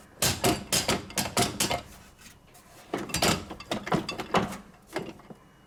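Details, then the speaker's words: Hoover 1400 AAA washer-dryer (model HNF 7148 80) with a loud rattle, worst on spin: bursts of hollow wooden clunks in groups with pauses, from loose bottom counterweight nuts knocking against the cabinet, fixed by tightening them with a 14 mm socket after the dampers were replaced. "the problem was on the the weight at the bottom of the machine uh which i'll just show you and you'll be able to hear um"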